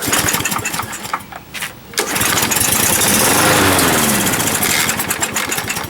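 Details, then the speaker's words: Used 21-inch Murray push mower with its air filter missing, pull-started with starter fluid: surges briefly with uneven firing, then sags and fades instead of idling. Owner suspects a dirty carburetor needing cleaning. "I think it's definitely possibly a dirty carburetor. Pull it again. All right. Yeah, dirty. We gotta clean that carburetor out."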